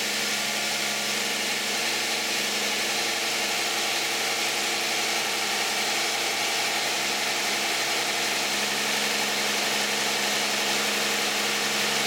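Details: 2010 Toyota Camry 3.5 V6, 93,000 miles, Pennzoil Ultra 5W-30 synthetic with Wix filter, cold start idle: smooth, even hum with light valvetrain tick and no knocks; normal cold idle.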